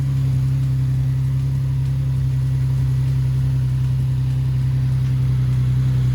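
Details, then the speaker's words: 370Z Nismo started just after a Z1 Motorsports cold air intake install: a smooth, even low idle drone with no misses or knocks and a deeper intake rush. Healthy idle, with louder intake noise than before the install. "It sounds like it's pulling a lot of air in, that's for sure. It didn't sound like that before."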